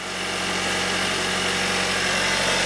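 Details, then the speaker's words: 2019 Hyundai Sonata SE cold start before engine flush and Amsoil 5W-30 change: busy, clattery idle with a hissing top-end rattle over a steady hum; owner suspects noisy cam phasers, unconfirmed. "maybe it'll change once it gets flushed down has amsoil put in it i know the toyota's had that problem too very noisy cam phasers"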